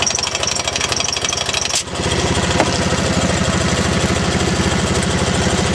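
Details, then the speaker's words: T80 air compressor with the inlet blocked to remove the load: fast, even pumping beat with no rattle over it, confirming a bad compressor that rattles under load. "got no load on it doesn't rattle compressor is bad you can test your t80 just by putting your finger over the in and it should start popping off pretty quick so that's pretty definitive it's a bad compressor"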